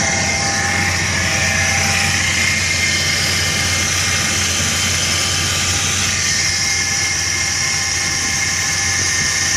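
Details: 1999 Chevrolet S10 2.2L at 86k miles, idling: busy fine metallic chatter riding high over the engine; owner suspects the timing chain set needs replacing, unconfirmed.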